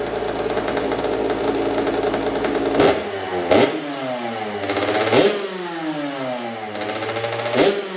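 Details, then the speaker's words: 2007 Kawasaki KX65 two-stroke motocross bike, bought abused, good compression, FMF shorty exhaust: crisp buzz with sharp throttle blips falling back to idle; runs well, no coolant or fuel leaks seen. "thank you all right well it looks like it runs it runs pretty good I'm definitely impressed with it"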